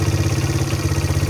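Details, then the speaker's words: 1985 Honda XR100 single after no-spark fix, idling about 10 minutes: quiet, steady beat, no cam chain slap or valve chatter, no smoke, no air leaks, no hanging idle. Normal idle. "Engine's quiet. I don't hear any excessive cam chain slap or anything. The valves aren't chattering. Sounds like your normal XR motor."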